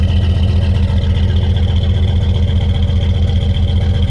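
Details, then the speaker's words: Old GMC pickup, TBI V8 (probably 350), reportedly overheated until it seized, cold start: stumbling idle at about two and a half beats per second, shaking and missing badly, starting to smoke; misfire from blown head gasket. "vibrating 's missing like crazy"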